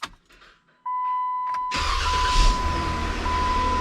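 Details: Jeep Wrangler JKU 3.6L Pentastar after starter replacement, battery reconnected; warning chime, brief crank that catches right away into steady even idle — starter and start healthy.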